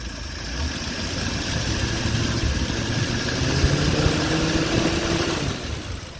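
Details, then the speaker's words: Old Nash four-stroke car after fuel pump repair (cracked sediment bowl replaced with fence post cap) and water pump fix: steady, slightly uneven low idle, no misses or knocks, no fuel leak; normal idle. "He's idling. It's not leaking."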